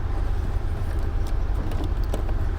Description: This 2017 Tundra likes to keep running the engine after the key is removed.